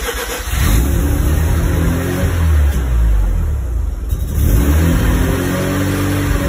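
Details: Mazda RX-7 FD rotary on stock ECU after swapping from Power FC: engine catches but speed wanders up and down instead of settling, won't hold idle; owner suspects throttle position sensor out of adjustment, not confirmed.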